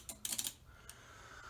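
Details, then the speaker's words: Outboard motor wiring hooked to power after repairing broken wires: a quick burst of sharp relay clicks, then quiet; console lights come on. Normal relay clicking at power-up. "We got relays clicking."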